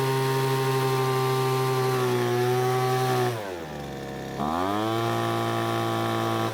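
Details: Poulan Pro leaf blower that quit in use, after H-screw (full-throttle fuel) carburetor adjustment; a loose bolt suspected as cause: clean, steady high-pitched buzz at full throttle, brief dip then smooth rev back; normal running.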